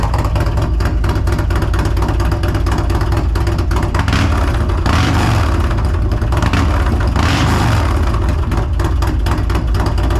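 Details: 2022 Harley CVO after a Feuling Reaper 472 cam and camchest upgrade, Thundermax tuner, FullSac headers and S&S intake: loud, deep V-twin idle with lumpy, even chop, no knocking or ticking; running healthy.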